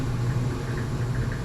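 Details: Old boiler, roughly 50 years, after relighting the pilot by hand and refiring: a smooth, steady low roar with no puffing, popping or flutter, burners firing evenly and normally.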